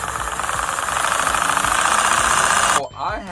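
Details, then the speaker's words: 2014 Hyundai Sonata 1.8 petrol engine running: steady hollow knock about four per second, piston slap from excessive piston-to-cylinder-wall clearance letting the skirt hit the wall. Suggested fix is engine replacement or boring. "What happens is the piston clearance between the cylinder walls are too large. So when the piston goes up on a compression stroke, the skirt of the piston contacts the sidewall."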